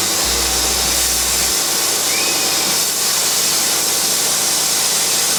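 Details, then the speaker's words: Hand-built laser cutter and engraver cutting a small wood part: a steady high airy hiss of the air assist, which cuts better with air on, runs through the whole cut with no low-end thump; normal operation. "the hessian you can hear is air assist while it's cutting the air has to be blowing it cuts a lot better when the air assist is on that's that hissing noise you can hear"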